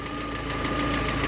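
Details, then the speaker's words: VAZ 2112 petrol engine, warmed up, at idle after timing belt side inspection: belt and crankshaft pulley run smoothly with no figure-eight wobble, only a light fast hydraulic lifter tick that is due for replacement; normal timing belt and pulley. "now the pulley is running smoothly without a drop of beating you can only hear the clicking of the hydraulics and I will change them soon"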